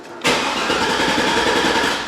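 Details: GMC Yukon Denali after replacing the engine computer with a used PCM, security light off, PCM may need programming: steady starter churn for about two seconds with no catch; cranks but won't fire.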